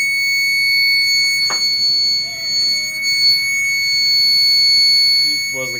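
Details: 2002 Dell Dimension 8250 with BFG GeForce 6800GT: loud continuous high-pitched shrill tone, the graphics card's alarm because its auxiliary power connector wasn't plugged in.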